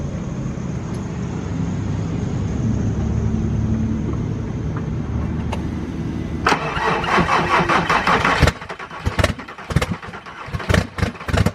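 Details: VW VR6 that won't stay running, coolant pipe issue; long crank before catching, then uneven stumbling run nearly dying; intake/plugged-in system suspected, testing with it removed; hard start and hesitation.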